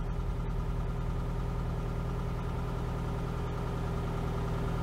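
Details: 1992 Oltcit petrol engine after carburettor work: smooth steady low idle with even beat, no knocks or misses, ticking over healthily while wipers are tested.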